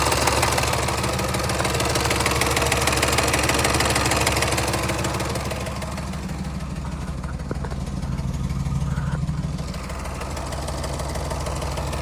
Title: L405 Range Rover 5.0 Supercharged Timing Chain Noise (Tensioner Failed)